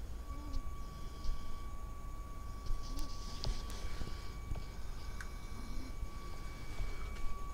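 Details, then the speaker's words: Kriesler 11-7 valve radio during restoration, warmed up at max volume with a test signal near 600 on the dial: faint steady tone near 1 kHz, barely above hiss and clicks. Audio output far too weak; an intermittent fault is being traced. "now that should be blasting through uh it's not very loud at all"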